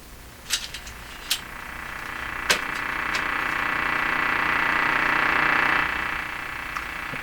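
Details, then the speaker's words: Philco 48-1826 console radio after two more capacitors replaced, antenna on: broad hiss swelling across the broadcast band with sharp crackling pops from interference; radio otherwise working. "well the radio's working and uh if that interference wasn't there uh I think we'd be just as impressed as yesterday"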